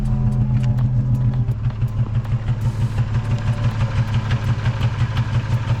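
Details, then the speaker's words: 2006 Nissan 350Z with OEM coil packs, idling in neutral: idle lopes with a steady stumble about three times a second, a consistent single-cylinder misfire; owner suspects a failing coil pack. "I mean, that doesn't sound right, so. And it's actually pretty consistent, so, and that's how I know it's only one."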